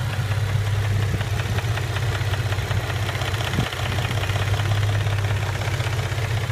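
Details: 2006 Nissan 350Z, VQ35DE rev-up engine, manual, 60,000 km, oil level OK, MREV2 plenum, Stillen headers, side exhaust, oil cooler: steady idle with light quick tapping about four per second; idle knock, cause unknown.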